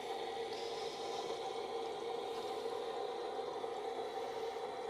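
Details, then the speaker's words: iSpring 3-stage whole house water filter after changing sediment and carbon filters, repressurized slowly: quiet, steady rushing hiss with no gurgles, bangs or sputters as housings fill; normal. "You see it filling up now. So once this fills up, you'll hear it going through here too."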